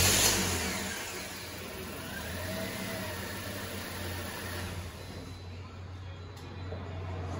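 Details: 2010 Toyota Corolla 1.8 L after serpentine belt and water pump replacement, fixing the morning start-up screech and growl from the belt area; engine catches and settles into a quiet, even idle with no squeal or chirp.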